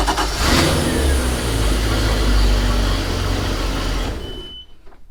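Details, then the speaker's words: A MerCruiser 5.0 MPI in a 2007 Monterey 214FS, left outside 6 years, catches right away with a new battery and settles into an even deep rumble briefly before shutdown, run without water; sounds healthy. "i won't let it run without any water but it fires up sounds like a champ so we'll see what happens"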